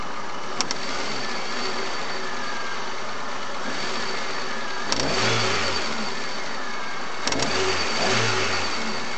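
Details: Chery Amulet: steady idle then two sharp blips bring brief knock as revs jump; also excessive idle vibration and oil pressure light sometimes on at warm idle; knocking under sudden acceleration, cause unknown.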